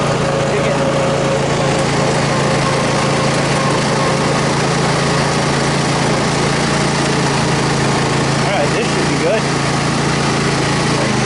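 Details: Restored Troy-Bilt Super Bronco riding mower cutting grass after repair: the engine holds a steady, even drone with no bogging, belt squeal or deck rattle. No pounding now, and it runs and mows normally.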